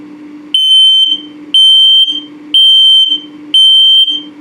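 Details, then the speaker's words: Low battery alarm on a detector in a 2022 Puma 32RBFQ travel trailer, alongside LP and carbon monoxide tests: loud, high, equal-pitch beeps about one per second, slow and even. "If it beeps very slowly, the same pitch or tone but very slowly, it's telling you that your battery's low."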